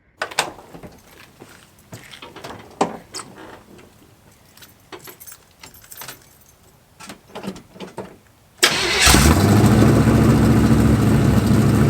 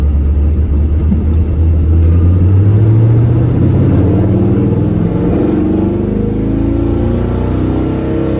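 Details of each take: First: 1985 Chevy square body small-block V8 with Hedman headers, first fire-up: clatter then idle with rhythmic puffing tick over the rumble, exhaust leaks near the header collector before welding repair. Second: 1985 Chevy square body truck with a budget small-block V8, small upgraded cam (~220 hp) and Dynomax race bullet mufflers, revved to about 3,500 rpm: deep, even rumble, no misses or knocks, healthy.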